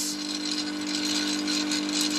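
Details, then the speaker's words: Early-2000s Snap-On 60 amp 12V workshop battery charger, charging on high: steady loud mains buzz with a fizzy vibrating rattle; owner suspects something is loose. "still about 20 amps we'll go to high oh let's pump in some juice now i don't like that it vibrates"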